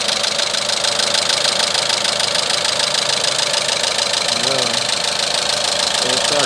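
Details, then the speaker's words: Renault Megane 3 with a K4M petrol engine at idle, sounding almost like a diesel: steady sharp knocking about three times a second from the original cam phaser. "вот значит фазовращатель с двигателя рено оригинальный мотор к 4-м застучал сейчас будем разбирать и смотреть что у него внутри"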